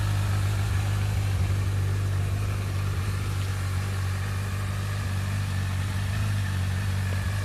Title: Brixton Felsberg 125 x (Strange noise)